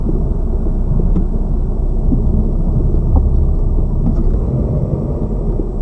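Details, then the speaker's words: Lada Vesta Cross, left front SAAZ strut replaced under warranty the day before, dashcam aimed at the left strut mount while driving over bumps: steady road rumble with only faint, occasional soft taps, no clear knock; the new strut is fairly quiet. "Вот Эта стойка амортизатора у нас меняя получается менея вчера мне её заменили по гарантии и здесь звуки какие-то есть но они не сильные"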